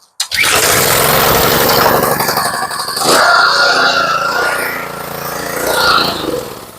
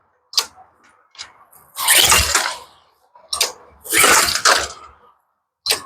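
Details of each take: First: Small pressure washer engine, pull-started on choke with fuel on: catches at once and settles into a steady, even run with no misses, though the pump is said to hammer while running; the engine itself is healthy. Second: Neighbor's pressure washer with lots of old gas in the carburetor, full choke plus starter fluid; rasping recoil pulls with short pops, engine never catches, getting no gas except what was sprayed; no-start from fuel starvation.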